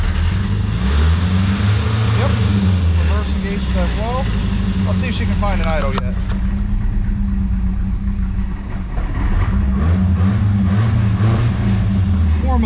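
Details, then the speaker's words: 1983 Toyota Celica ST, carbureted 22R four-cylinder, cold: keeps surging and sagging and needs throttle to stay running, won't hold a steady idle until warm; it likely has summer gas from Florida. "let's see if we can get it warmed up oh come on baby idol"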